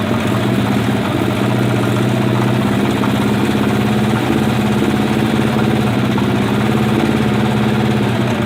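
Steady motorcycle idle with a light, fast ticking riding over the exhaust beat; knocking and ticking noise, source not yet pinned down.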